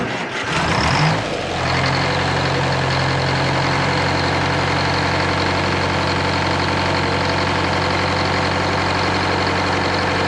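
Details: 75-year-old supercharged four-cylinder Detroit Diesel 4-71 powering a Frick sawmill, first start after 12 months sitting, primed by cranking with rack held closed: quick catch, then steady even deep diesel drone, no knocks or misses; normal start and idle.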